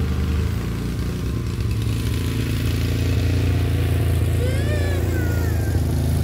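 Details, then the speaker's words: 30-year-old Murray riding mower, 13.5 hp Briggs & Stratton industrial commercial OHV single-cylinder, after fix for spitting and backfiring: steady, even low drone with no pops or backfires; runs smoothly, slight backfire remains at low idle. "i just wanted to stop popping and backfiring that sounds much better let's just take it for a ride let's see what happens"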